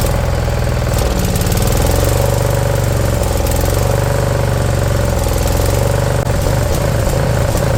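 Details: Briggs & Stratton Intek V-twin newly swapped into a mower replacing a blown Kohler Courage: even idle with faint slow rise and fall every second or two; slight surge expected to clear with fresh gas and running.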